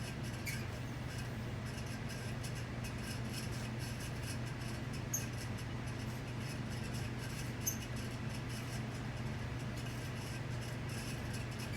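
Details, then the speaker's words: Leading Edge model 4820-1 48-inch commercial ceiling fan from about 1994, running at speed four, gives a steady low motor hum with faint, irregular high chirps. Heat has dried out the grease in the motor bearings, which are loud. "this fan here like I said the bearings are on it it's they're loud as hell which you'll play ly hear them in the video"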